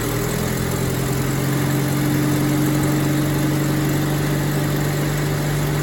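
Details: Rover P4 80 idling during a one-at-a-time ignition lead replacement, tested after each plug lead to check it is seated correctly; steady low idle hum with an even beat and no misfires.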